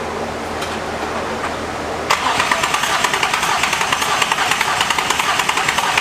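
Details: Nissan Z on first start of newly installed engine, 20w50 oil, new flywheel, catch can and test pipes, intake not yet connected, jumper cables attached: starter cranks about two seconds, engine catches and settles to even idle, no knocks; healthy start.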